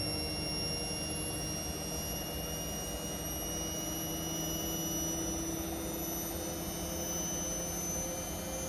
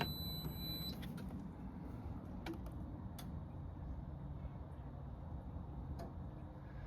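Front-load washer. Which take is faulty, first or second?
second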